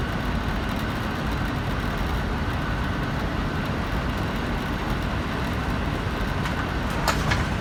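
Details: Payne air conditioner indoor air handler in closet, started by setting thermostat to 75 for cooling: blower comes up to smooth, even rushing hum, no rattles, scraping or squeal; normal startup.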